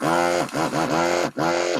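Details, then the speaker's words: Desoldering machine pump while repairing Apple IIGS ROM3 board: steady pump hum with pitch bending in waves; wobbly pump noise usually means the nozzle needs cleaning. "it starts to make kind of wobbly noises it usually means that the nozzle needs a little clean or something"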